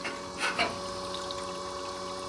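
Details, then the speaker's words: 1966 Pontiac GTO being test-run after a new radiator cooling system was fitted, engine running: steady, even electric water pump hum over smooth flowing water, no leaks or rattles; water felt flowing through the hoses, normal circulation. "Yeah, all that feels good. I feel water going through it too. Or the hose is vibrating."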